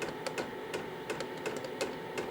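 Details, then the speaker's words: KROAK TB2 8 kW 12 V diesel heater at startup, fan slowly ramping up: crisp, evenly spaced clicks roughly every third of a second over soft fan hum, the pump metering fuel; normal dosing pump ticking. "ihr hört jetzt die Pumpe. Das Klackern der Pumpe ist doch gut vernehmbar. Also ich kann es gut hören."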